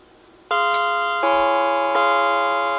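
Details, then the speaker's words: NuTone NM200 radio intercom master station, three-note chime module triggered by jumpering terminals: three clear ringing notes about three-quarters of a second apart, ringing cleanly; the chime works properly. "three notes so the chime module seems works"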